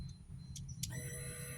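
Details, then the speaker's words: Honda Supra X 125 FI that would die with total electrical loss; wiring jumpered and manual ignition switch fitted: faint clicks then a steady hum as electrics power up and it comes alive; fault traced to the wiring running up to the headlamp. "Ini soalnya enggak hidup, mati total ya. Kita coba ya. Bismillah, kita coba. Wah, hidup bro."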